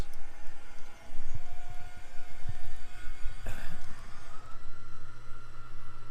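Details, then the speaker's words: Truck-mounted 5,000 lb AutoCrane with a three-stage power boom on a one-owner 2012 Ford F-450 with a new V-10 gas engine, worked by wireless remote. Engine rumble under a steady hydraulic whine stepping up as functions engage; no knocking or grinding, all functions normal. "All the functions work like they should. And then actually the third stage also comes out too. It all works."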